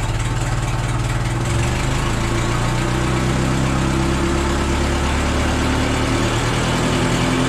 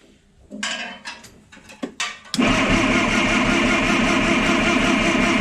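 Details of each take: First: $200 old forklift engine idling with new muffler fitted: even low steady idle, smooth muted exhaust note, no rasp or popping; much quieter. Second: $200 old forklift engine, timing thought retarded, distributor loosened to advance it: clanking, cranks and catches into loud steady slightly lumpy idle; rough running, cause unconfirmed.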